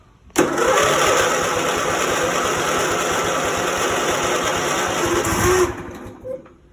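The engine catches right away, settles into an even idle for about five seconds, then shuts off cleanly; it starts normally.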